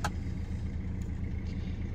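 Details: Mercedes C220 W204 OM651 diesel, previously in limp mode with codes P0471 and P2279 from a suspected boost leak, idling after the pipework was refitted and tightened; steady, low, even idle with no knocks, whistles or hunting.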